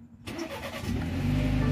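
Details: 2019 BMW 330i at 90,000 miles after serpentine belt replacement and oil change, hood open: quick crank, catches and settles into smooth idle, no start-up squeal that the old belt made; belt drive healthy.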